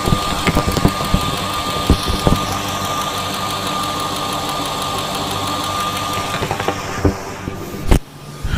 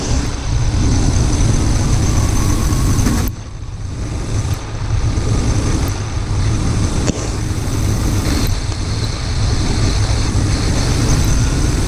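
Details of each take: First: Steady idle with a crisp, even tick at every injector, heard with a stethoscope before an injector rebuild; all injectors sound similar, normal operation, resistances later measured around 14–21 ohms. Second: Truck with intermittent rough idle and suspected fuel injector problem, new fuel filter fitted; injector disconnect test at idle: loud steady idle sags in rpm when cylinder six is unplugged, showing that cylinder contributes.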